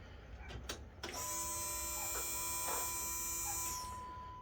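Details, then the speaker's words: 1972 Dodge D100 restomod Hemi build, newly wired electric fuel pump with return-style regulator; after key-on click, steady high electric hum for about two and a half seconds then stops: pump priming normally. "finished wiring up those wires you can see right there when i turn the key you can hear the pump come on"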